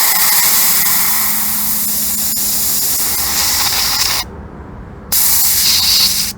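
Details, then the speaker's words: Air compressor tank drained with the switch off: loud steady hiss of air rushing out, briefly cutting off and resuming, with gurgling and spitting as moisture blows out the small drain hole; normal tank drain blowdown. "you can hear it that kind of gurgling sound that's the moisture coming out of that that small hole where the pressure is trying to blow it out evacuate it"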